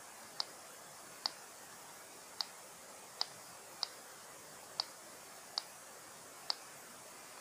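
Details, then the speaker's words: Elephone P7 Mini phone, new and faulty on arrival: faint sharp ticks at uneven spacing, roughly one a second, from the speaker on messages and when it disables, over near silence; speaker clicking, cause unknown. "when I receive a message it always makes the sound and also whenever it stops it makes a tip sound like the the speaker is now disabled and tip tip you heard it this sound tip"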